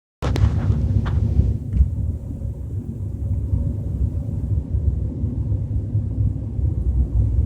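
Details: BMW 320i with a low rumbling noise while driving at 30–40 km/h; deep continuous droning rumble with almost nothing up top, source not yet identified.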